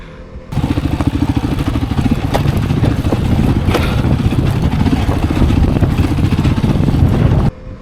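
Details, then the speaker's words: Voge 300 Rally on a rough trail descent: over trail rumble and engine, three distinct sharp clunks as the front forks bottom out, undersprung for rider and bike weight, before fitting heavier custom-cut fork springs. "Um, like the one in the peaks, the three shires going down, you know, if you listen to it, you can hear three distinct clunks."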